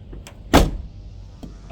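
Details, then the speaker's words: 2006 Mazda NC MX-5 Miata with 186k miles after replacing the rubbery door bushing with a solid insert: one firm, solid thud as the door shuts, less clunky, no rattle; normal door closing. "Okay, so it's in, so let's see if this actually closes. Oh yeah, it sounds much better."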